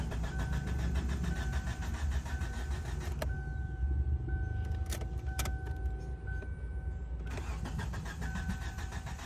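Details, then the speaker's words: 2007 Kia Sportage 2.0L cranks but won't start; fuses, ECM main relay and control board checked OK; steady starter cranking with even compression pulses that never catch; sensors losing their supply is suspected. "Yeah, we are working on 2007 Kia Sportage. Car will crank but won't start."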